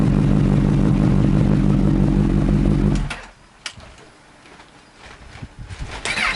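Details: Honda CB1000R, hot after a ride, struggles to start despite a fully charged battery: fast steady cranking chug about four a second for three seconds, then cuts out without catching. Suspected faulty rectifier and non-original starter; both to be replaced.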